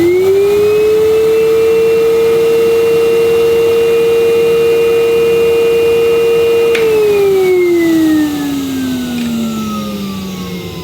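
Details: Tristar DXL vacuum running with a suction gauge at the hose end (reads just under 100): steady, even high-pitched motor whine at constant pitch, then smooth wind-down after switch-off; motor healthy.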